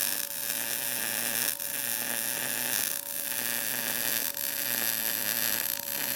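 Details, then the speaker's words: Arccaptain MIG200 inverter MIG welder turned up to 20 V on an inside corner joint; steady, even frying crackle with no popping; 20 V judged the winner for the inside corner, with an awesome weld. "wow that thing welds pretty dang good I think 20 volts is kind of our winner as as far as the inside corner joint that weld's awesome actually"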